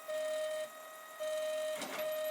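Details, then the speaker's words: Protomaker 3D printer doing a dry test print with no plastic and not extruding: clean singing stepper tones start and stop with each move, plus a quick rushing move to the home position as the print finishes. Normal operation. "sounds like it's finishing off well would be finishing off if it was actually extruding"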